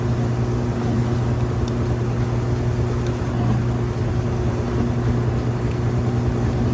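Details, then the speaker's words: Kenmore stacked washer-dryer laundry center, final spin: steady low hum at near full speed with drain still running, no knocks or thumps; smooth, balanced spin. "There it goes, getting up just about full speed. You can still hear the drain running, but it's got a nice fast spin, smooth and balanced."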